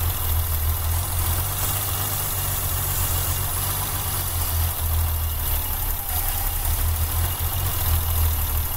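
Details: BMW M20 engine with a rough idle: low, uneven, loping idle with a faint hiss and audible sucking of air; spraying carb cleaner at one spot may smooth it, suggesting a vacuum leak, unconfirmed.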